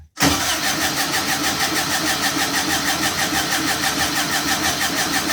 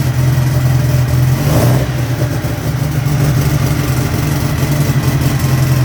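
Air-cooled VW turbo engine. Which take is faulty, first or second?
first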